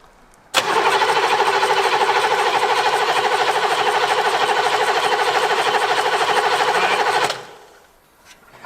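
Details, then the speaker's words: Abandoned 1980s Buick Century: steady starter cranking at about three compressions a second without firing. The fuel solenoid moves but little fuel pressure reaches the injector lines; sticking pump plungers suspected. "I'm not seeing a lot of fuel. Our plungers might be sticking. I mean, there's definitely fuel, but it doesn't look like it's under pressure worth a shit."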